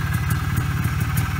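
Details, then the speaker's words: 1991 Polaris Trail Boss 250 two-stroke ATV, 28 years stored, about 250 miles, after brake work, on a test drive; quick even putter with light tick, no knocking or rattle, very quiet; normal running. "and it's pretty quiet this is the quietest uh 250 I've heard in a [Laughter] while yeah nice and quiet"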